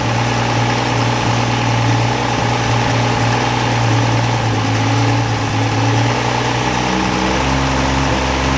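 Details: 1963 Rambler Classic 660 after sitting long, following points work: steady, even idle with a slight dip near the end; it runs but stumbles off throttle, owner suspects dirt in the carburetor idle circuit.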